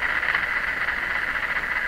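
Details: Ford Zenith 6MF780 tube car radio with a dead power-supply vibrator, bypassed with a bench B+ supply of about 100 V and the heaters warmed: an even upper-midrange hiss with shop AM interference but no hum or crackle. It receives normally.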